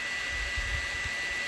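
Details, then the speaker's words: Old electric motor with new 6203ZZ bearings, VFD-driven at 120 Hz (twice normal speed) through a 24 V UPS and transformer: steady high-pitched whir with constant tone and no grinding; runs clean, where it once shrieked badly at 120 Hz. "Oh, it's starting to whiz now. Dude, when I used to run this motor to 120 hertz before, the shrieking would be so bad that your ears would bleed."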